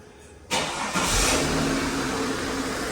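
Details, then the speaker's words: Holden WH Statesman L67 supercharged V6 after repairing M90 supercharger rattle caused by a faulty coupling and refilling the oil: short crank, clean catch, even idle with no blower rattle; normal start and idle. "well it already sounds better I'm calling that fixed good stuff"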